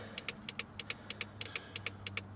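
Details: Fast, even double clicks about three times a second, quicker than a normal blinker, on a 2004 Toyota Corolla after fitting LED front turn-signal bulbs: the original flasher hyperflashes.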